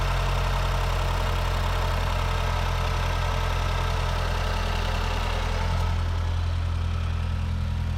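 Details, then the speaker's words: 2008 Mazdaspeed 3 turbo petrol, first start after installing CorkSport high-pressure fuel pump internals, pump primed and checked for leaks: smooth, deep, even idle with no ticking, knocking or stumble, holding speed steadily; sounds good, engine healthy. "let's try to fire her up if I burn my house down tell my wife I love her [Applause] well she sounds good"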